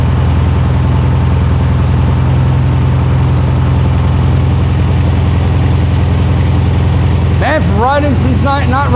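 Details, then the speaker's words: 1973 VW Super Beetle back running after 20+ years, after fan adjustment: steady, even air-cooled idle with a low regular beat and no rattle or scrape, no major leaks; timing not yet set with a timing gun; normal idle. "sounds good no major leaks like I said I still have to hit this with timing gun and all that stuff"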